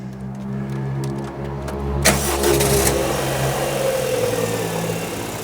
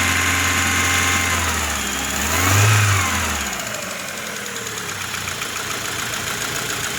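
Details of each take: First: 2000 Rover 75 Club, 1.8 K-Series, after head gasket repair and valve lapping; camera under the car. Quiet, smooth, even idle with no top-end tapping, where it was tappety before; runs normally. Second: 2000 Rover 75 Club, 1.8 K-series engine, first start after head gasket repair and cylinder head rebuild. Engine catches, rises briefly and settles into idle with a light metallic rattle over it. Rattly first startup, cause unknown.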